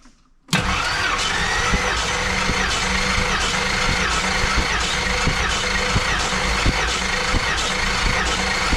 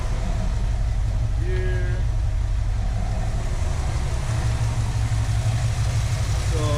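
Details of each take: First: Compression test on a 1973 AMC Hornet, cylinder 5: even starter cranking for about nine seconds at a steady beat of roughly three per second, with no lazy strokes. Gauge reads about 145–150, which looks healthy. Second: 1973 AMC Hornet with a weak engine, restarted after a loose plug wire was refitted, possibly flooded: smoother but still uneven, loping idle with a lumpy stumble; rough idle, compression test planned.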